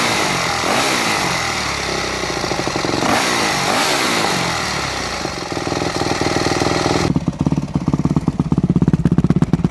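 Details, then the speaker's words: 4-stroke MX dirt bike with Keihin FCR-MX carburetor: crackles and pops steadily through the exhaust as revs fall; pilot fuel screw adjusted too lean, starving for fuel. "all right did you hear how much popping and carrying on i would call it coming out of the exhaust was occurring that means your fuel screw was adjusted too lean"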